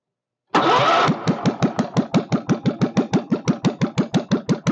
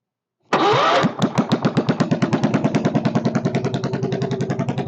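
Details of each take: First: Kohler K301 stationary single-cylinder, first start with a bit of chainsaw gas mix added for lube and fuel pump leaking: catches, then slow separate thumps about three a second; idling too low, needs idle speed adjustment. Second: Kohler K301 stationary single-cylinder, not bolted down, first start with a bit of chainsaw gas mix: catches at once into an even, steady thump; motor sounds good, owner can't tell if there's a bad knock but thinks not; carburetor still needs work.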